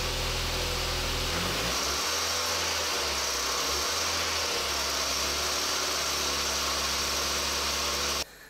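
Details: Engine making a busy, tinny rattle over the hum at 2000-3000 rpm as revs shift; worn timing belt tensioner, not a serpentine belt idler pulley, found with the timing belt fluttering; engine damage possible.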